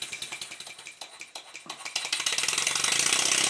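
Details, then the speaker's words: Stuart 10H model steam engine test run after repacking glands with Teflon yarn, lapping the slide valve and setting valve timing: crisp regular exhaust beats near four per second, quickening and louder; new engine bedding in, improving after high-then-low rpm running. "After running the engine at a high RPM, followed by a low RPM, I can hear that it's getting better."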